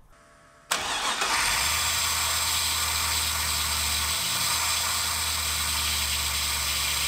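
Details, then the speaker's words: Chevrolet Biscayne V8, warm idle, throttle plates fully closed, 92 mm throttle body with the idle air port enlarged and the original IAC: steady faint high airy hiss over the burble; whistle reduced from before, worst on cold fast idle. "now I have the throttle plates closed down all the way right now just some more errors going through the idle air control motor to amplify the sound because it's not making it nearly as much now as it was the other day"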